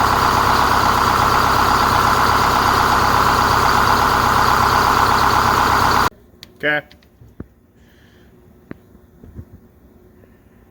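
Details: 4106 bus diesel after Allison V730 transmission swap, in shop: steady even idle with firm regular beat, no stumbles for six seconds, then stops; normal healthy idle.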